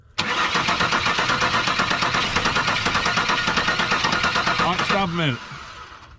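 Steady cranking at about three pulses a second for five seconds, never catches and runs, then winds down; cranks but won't start. Cause suspected, not confirmed.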